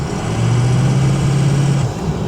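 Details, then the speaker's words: Ford 6.0 diesel after turbo cleaning, test drive: engine drones up under hard throttle from a rolling start, then drops away cleanly on lift-off with no turbo bark; problem fixed. "no barking okay good looks like we got it figured out"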